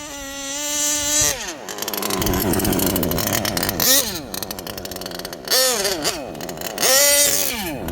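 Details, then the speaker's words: HPI Savage Octane gas two-stroke RC car, three-speed, after a transmission teardown to clear packed factory grease and shift points tuned; carb still rich and still breaking in. A high buzz revs, pitch drops sharply at each crisp, audible gear change: normal shifting. "Three-speed, baby. Audible. You could hear it."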